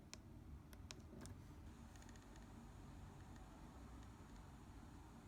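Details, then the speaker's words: Olympus camera after service: a few sharp dry clicks then faint ticking over room hiss, compared with before; camera clicking, cause unclear. "you hear that clicking and this is what it sounds like now"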